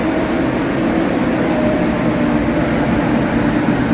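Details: Nissan after fan clutch and belt replacement, starting up; fan previously ran constantly loud: steady, even engine hum with smooth fan whoosh, no roar or surging; normal running.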